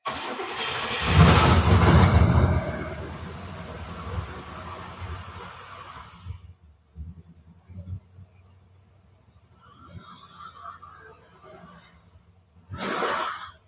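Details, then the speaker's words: Limousine in cold weather, battery reading 115 before starting, after a custom exhaust with two resonators: sluggish cranking that catches, sputters and fades with weak attempts; it idles poorly and keeps dying as battery voltage runs out, a low-voltage hard start. "um it is not idling very well it is running out of voltage that's it it runs out of voltage and uh that's why the car's turning off"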